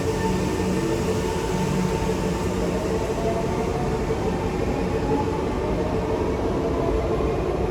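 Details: SMRT C151 train (Kawasaki/Nippon Sharyo, 1988, refurbished 2008, Mitsubishi GTO chopper traction) departing Tuas West Road: steady metallic whistling tones over rolling rumble from car 1118; odd traction noise, cause not pinned down.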